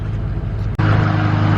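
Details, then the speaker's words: Ford 6.0 PowerStroke diesel truck at idle: a steady, even idle with a deep low rumble and no knocks or misses; the engine runs healthy. "So you can hear the truck running. She sounds great. runs perfect."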